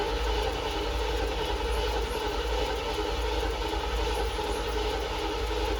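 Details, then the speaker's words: C3 Corvette V8, first start after fitting side-pipe headers (open headers), louder than expected: raw exhaust rumble with fast even pulses held steadily at raised speed; engine idling high, cause not confirmed. "All right, not gonna lie, that was a lot louder than I thought it was gonna be. It is open headers, but the car is also idling high still."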